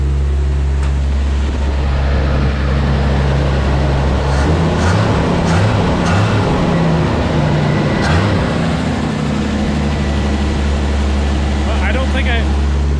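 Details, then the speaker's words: 1981 Chevy C10 squarebody, cold start: loud, fast cold idle with a steady droning tone over it; power steering pump whining, owner knows fluid is low. "And I know for a fact that it's low on power steering fluid. That's another thing I need to look into. So that's just going to be screaming its head off"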